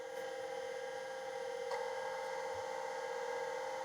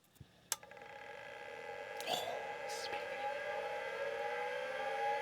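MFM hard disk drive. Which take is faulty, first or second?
second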